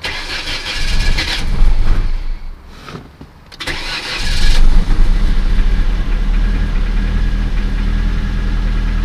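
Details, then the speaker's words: Ford Escort with variable cam timing, started after long sitting on a new battery and old gas: it cranks, catches and settles to a steady smooth idle. The knock after sitting is gone; normal start and idle. "okay so the engine knock is totally gone"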